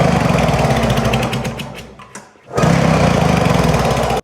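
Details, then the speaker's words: Arctic Cat Jag snowmobile engine cranking with a fast, even, strong chuff at three to four beats a second during a compression check; this engine read almost 150, versus about 70 on the non-starting sled. "And then I said to myself, I should just check the compression on that free scooter. Maybe that engine is better."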